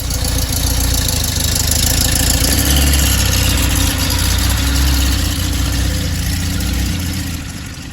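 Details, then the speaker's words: 1968 Porsche 912 air-cooled flat-four with rebuilt carbs, after turning both idle mixture screws a sixth turn right: steady even low burble at idle, smooth with no knocks or misses; idling cleanly. "so i adjusted both idle screws and this is where it's idling i think that sounds really good"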